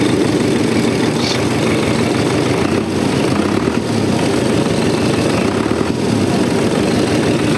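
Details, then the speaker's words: Diesel idling at first start after engine rebuild, cold, oil pressure about 4, no smoke; steady even clatter without knocks, misses or surging, little vibration; normal idle, minor fuel seep and air-leaking hose noted. "в принципі роби рівненько Не тіліпається ну трошки крила гуляють ну вони до цього гуляли ну такої вібрації вродьби немає сильної"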